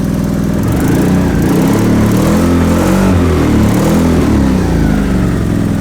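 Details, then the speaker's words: 2003 Hyundai Sonata with many check engine codes, almost no power, rich exhaust smell: rough lumpy idle with chopping helicopter or lawnmower beat and visible engine shake; multiple cylinder misfire, attributed to a bad coil. "yep sounds like a helicopter you can see the engine vibration this is a multiple cylinder misfire consistent for"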